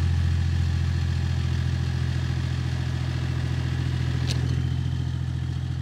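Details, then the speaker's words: BMW E39 530d M57 diesel at idle, microphone at the rear: steady clatter about four knocks a second as the re-welded exhaust tip hits and rubs the M-package rear bumper, slightly melting it; repositioning the pipe stops it. "Ну, то есть, в общем, вот слышно, как оно бьется."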